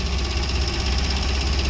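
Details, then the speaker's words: Fuel-injected Kawasaki Ninja 250 (250cc), used bike checked before purchase: steady idle with a quick, light, even ticking on top, an abnormal clicking of unknown cause; owner plans to take it to a workshop. "Okay, that clicking sound isn't normal for any bike. This is a 250cc bike and that clicking sound is definitely not normal."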